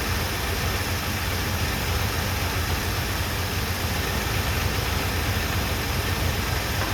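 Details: 1978 Chevrolet C10 V8, running off its gas tank after new plugs, wires and first oil change in 10 years: steady, even low idle rumble with no knocks or misses; normal idle, fuel pump working, smoking fairly heavily.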